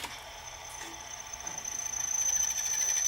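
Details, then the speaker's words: Early-1980s JVC HR-D130 front-loading VCR, partly disassembled, worm gear lubricated: thin high motor whirr with rough ticking that strains but never finishes loading; mechanism stuck, probably a broken plastic gear. "I can test this without putting it all back together just plug in the plugs oh out see it's stuck"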